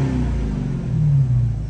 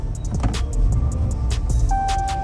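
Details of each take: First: Rebuilt 2019 Dodge Challenger after running a while and being restarted a few times: deep even exhaust rumble building smoothly as revs rise, no misses or knocks; now revs normally, no scan needed, ABS and traction lights still pending. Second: Rebuilt 2019 Dodge Challenger after new battery install, ABS and traction lights on: engine holds a low flat rumble with no pitch rise at full throttle, refusing to rev.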